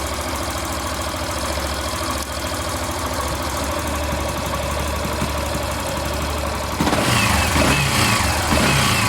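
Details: Yamaha Factor 150 single-cylinder after reassembly, retest for an earlier engine noise; steady even idle with no knocking or whirring, revving slightly near the end. Noise gone.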